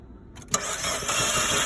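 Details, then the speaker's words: 2012 Fiat 500 no start: injector pulse and spark present, short burst of even, hollow cranking that never fires; sounds like low compression or flooding; MAP sensor code and suspected throttle body fault. "so they have spark I'm sure of it and the engine sounds real real uh how should I say like no compression maybe it's flooded maybe maybe there's an issue with the engine"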